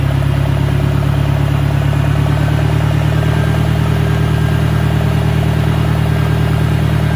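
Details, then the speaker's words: 1965 John Deere 1010 with suspect maintenance, Stanley muffler, about 1000 rpm: a constant heavy drone with busy mechanical clatter; the gearbox is noticeably noisier than the 1963, cause not identified. "third gear is a little bit quieter but there's still a one sounds to be to me anyway a fairly significant amount of noise as compared to the 63 in first and second GE"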